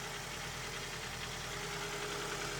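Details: Engine idling quietly and evenly with a steady low beat, no misses, knocks or vacuum-leak hiss, at startup after intake manifold gasket repair and oil change; some smoke seen, thought to be residual oil from washing, lessening.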